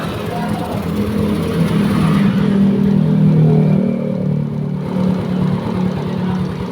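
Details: Yamaha Mio scooter after rebore with new parts and racing cam, still noisy; cam too extreme, replaced with standard cam; now runs smoothly with even low hum, no tapping or rattling.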